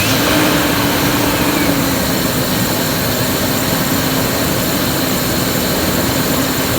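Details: 2001 Ford F-150 5.4 2V Triton gasoline engine: loud hissing, whooshing rough idle, sounds stifled as if not getting enough air, revs sag and fade until it stalls. Rough idle with stalling.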